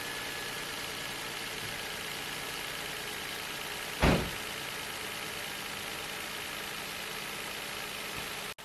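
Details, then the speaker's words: 2004 Nissan Altima 3.5 L after misfire repair with manifold removed and refitted, battery on charger: steady even idle hum, no stumble or miss, one brief thump; check engine light not returned. "It is feeling a lot better when you sit in the car. Like a lot effing better. The check engine light hasn't came back on yet."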